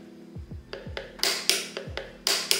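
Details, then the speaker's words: MOZA steering wheel paddle shifters: soft, muted clicks from paddles fitted with the included silencing pads, then much sharper snapping clicks from stock paddles without pads; the pads greatly reduce, but do not eliminate, the shifter noise. "you can hear that there is a pretty big difference between before and after. While the pads won't silence the MOZA shifters completely, they will reduce the noise a lot."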